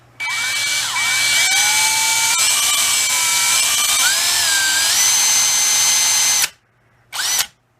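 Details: Masterforce 20V two-speed cordless drill with brushed four-pole motor, high-speed setting, running without load: steady high-pitched whine with an even gear buzz that holds speed without stumbling, then an abrupt automatic brake stop. Sounds healthy.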